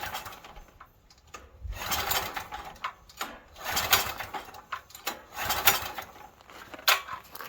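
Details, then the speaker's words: Stanley 8000 W generator bought used and left sitting four years, pull start with choke: repeated rasping recoil pulls about every one to two seconds and it never fires, cranking but no start; owner suspects a stuck float and will retry ether. "Let me try the ether again. It could be that the float ball stuck."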